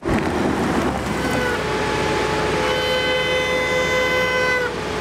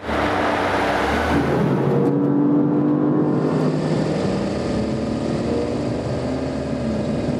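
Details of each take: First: BMW M high-performance brakes (M Compound / carbon ceramic): a steady horn-like wet honk just before stopping after driving on the wet steering skid pad. Water got between the discs and pads. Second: High-performance BMW M brakes (M Compound or M Carbon ceramic) after an emergency stop from 124 to 62 mph: a steady mid-pitched hum for about a second as the car slows, the typical functional brake hum; quality and performance unaffected.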